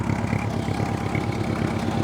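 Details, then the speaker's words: Old Honda Gold Wing idling after a screwdriver-bypass start: even, steady low putter with no knocks or misses. The start switch is suspected faulty; the carbs are leaking petrol and likely need a clean. "Well, that's good then. So, engine still runs good on this one."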